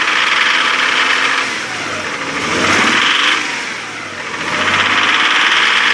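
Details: 2000 Nissan Xterra SE 4x4 3.3L V6 after overheating from a stuck thermostat, with no milky oil or smoky exhaust, and the same noise with the belts removed: irregular knock of about two per second rising with revs; internal knock, cause not determined.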